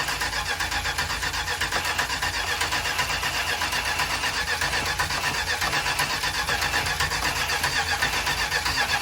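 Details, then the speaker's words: Vintage motor home converted to EFI: starter spins the engine evenly but it never fires. Fuel pressure is too low for EFI while cranking; crank no start, low fuel pressure. "But watch what happens when we crank. If it'll crank again. Nope. Down to about 2 PSI. That's not enough for an EFI system, just so you know."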